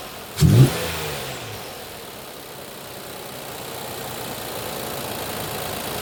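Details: 2020 Infiniti QX60, 95,882 miles, with oil consumption and misfire codes P0300/P0304, started after finding a filthy spark plug: a brief start-up thump, then a steady, even low rumble with no stumble. The idle sounds normal.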